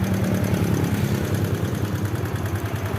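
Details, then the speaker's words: Yamaha New Vixion Lightning (NVL) motorcycle idling with a rough, regular kletek ticking clatter; screwdriver used as a stethoscope finds it roughest at the cylinder head, not the clutch case, so the fault is in the head. "Di bagian mana suaranya lebih kasar Berarti di situ penyakitnya ya ini di head"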